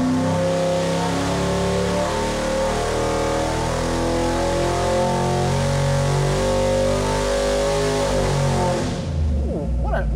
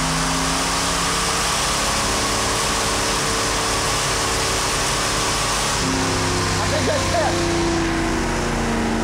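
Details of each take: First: Stroked 347ci small block Ford for a 1977 Ford Granada, on a dyno pull from 3,500 to 6,000 rpm on pump gas, 35° timing, air-fuel in the mid 13s, 950 carb. Strong, even V8 roar under load with no knocks or misfires, then it drops off. Made 490.3 hp and 442.5 lb-ft. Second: Old, tired original two-barrel V8 from a 1977 Ford Granada, second dyno pull, making 99 hp. Its pitch flattens at high revs and won't climb, like a natural rev limiter, then drops back. The two-barrel carb is suspected as the cause, not confirmed.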